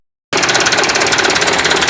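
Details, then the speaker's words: Mitsubishi Canter PS125 HD diesel truck after advancing injection pump timing and adding fuel load: sharp, rapid metallic knock over a fast idle, engine shaking slightly but fine at high rpm; knock from advanced timing. "memang untuk hentakan mesinnya agak sedikit goyang ya cuman kalau RPM tinggi Ya aman Bro"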